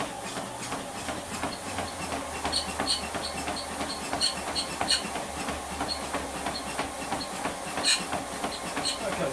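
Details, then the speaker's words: Confidence Fitness treadmill after belt lubrication with silicone oil, running fast: light, uneven ticking about three times a second. Improved, but the belt still catches slightly at the highest speed. "getting some so definitely improved but at the highest speed still catching slightly"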